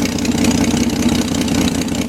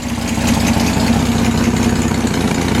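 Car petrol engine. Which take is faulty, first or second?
first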